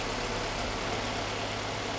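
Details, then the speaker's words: Ford Cosworth turbo (Sierra/Escort RS) idling just after starting following about 5 months parked, oil pressure OK, waiting for oil to circulate: steady even idle with a firm low beat, no misses, ticks or knocks; normal. "So, Christian. Ja, läuft doch wieder, oder? Ich würde sagen, wir warten kurz, dass das Öl ja ein bisschen zirkuliert."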